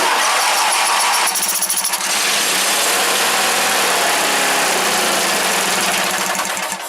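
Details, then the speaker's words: 1984 Wheel Horse GT-1800 Workhorse, 18 hp 694 cc Briggs opposed twin with a carburetor/fuel pump fault: it runs only at high throttle on choke, with an uneven beat, and dies when throttled down. "Then when you throttle it down, it dies out."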